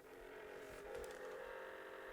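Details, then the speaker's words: Panasonic VHS camcorder (AG-187 or AG-195, cheap secondhand) with new cassette in record position: faint steady whir with thin mid-pitched tone that gets faster and faster; abnormal transport noise, cause unknown. "making some kind of god-awful noise and to be honest I have no idea what's making that noise it's getting faster and faster and faster"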